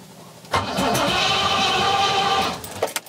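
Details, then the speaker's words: Rover P6 with a carbureted 4.6 V8, original coil refitted: the starter cranks about two seconds with a faint cough or two, then nothing and it won't fire. Crank, no start; owner suspects timing. "so why is it not firing to life why is it not going boom and starting to work"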